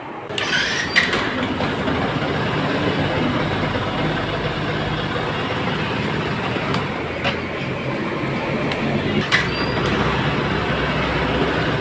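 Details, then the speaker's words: Yamaha FZS V2 motorcycle after a piston repair for low compression: starts on the first press and holds a steady, even single-cylinder idle around 2000 rpm behind background noise, with no knocks or misses; running normally. "তো friends আলহামদুলিল্লাহ আমাদের bike এক টোকা start."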